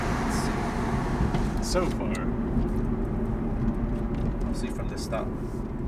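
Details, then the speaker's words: Acura RSX on a test drive after replacing the front axle and intermediate shaft: steady road rumble and engine hum pulling away from a stop, with the earlier clicking gone and less steering vibration; axle joints sound healthy. "it makes the most stop hey no noise that annoying noise is gone for good for now"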